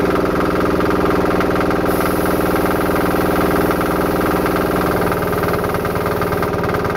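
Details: Home-built diesel-engine-driven air compressor after removing a check valve to improve the pressure unloader and fixing a leak: even, steady pulsing about four times a second with no hiss or stumble under load; normal running.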